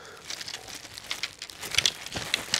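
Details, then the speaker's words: New Dacia Duster front grille still in its delivery bag. Shaking the bag gives light clinks and crinkling from a small loose piece inside: a broken retaining clip. "Das ist ein Halteclip, der ist gebrochen. Du brauchst die Tüte gar nicht aufmachen. Du kannst es gleich wieder beiseite legen, weil du weißt, da drin ist irgendwas abgebrochen."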